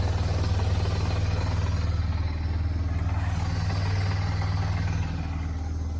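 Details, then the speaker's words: 1999 Yamaha Bear Tracker 250 after aftermarket carburettor replacement, just started, warming up, a little smoky (owner suspects rings); deep, even thumping idle, no misses or hunting: normal idle. "sounds good sounds a lot better than it did before let it warm up a minute this one's a little smoky"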